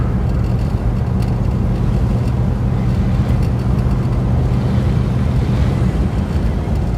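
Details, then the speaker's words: 1964 Buick Electra nailhead V8 idling after intake manifold core plug replacement and silicone cleanup; low, steady even burble, no ticking or puffing at manifold, exhaust leak from bottom of intake manifold fixed. "so much quieter when it doesn't have exhaust leaking out of the bottom of the intake manifold all right that's a big time here nice no more exhaust leak at the bottom of the manifold"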